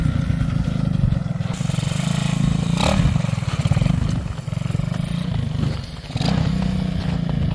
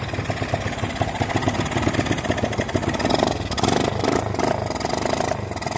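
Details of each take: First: Honda XL185 barn bike after its very rich running problem was worked out: even, steady single-cylinder thump at a settled idle with no misses; normal idle. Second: Honda XL185 that sat in a barn 20 years, with good spark, compression and timing, kicked at full throttle: idle stumbles and lopes with missing beats, loading up rich. An incorrect starter jet is causing rich running.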